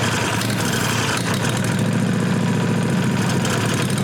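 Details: Briggs & Stratton Vanguard 16HP engine, unstarted a year or two, after wiring fuel solenoid and freeing gummed plunger from old gas, temporary exhaust: engine catches and holds a steady even beat, no misses or knocks; normal running.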